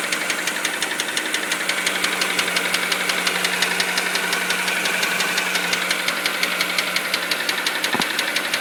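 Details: Mini Cooper N12 petrol engine idling, after retiming and a new timing chain tensioner: a sharp, even knock about three a second that grew and became monstrous over 300 miles; suspected rod knock.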